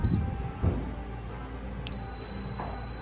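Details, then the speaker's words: Leak Block water leak sensor, new style, touched on its bottom: thin, steady high-pitched alarm tone, briefly interrupted, over handling thumps; silenced by holding its single button. "same issue uh if we touch the if we touch the bottom here it will go off"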